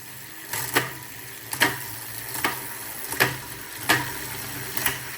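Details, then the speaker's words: Prestacycle Uniblock Pro HG 12-speed cassette on a road bike, running through the gears: crisp single clicks about once a second, each shift clean, sounding like Shimano 105 but with a bit more smack; normal shifting. "It sounds pretty much identical to the 105 in there. Just has a little bit more smacks to it."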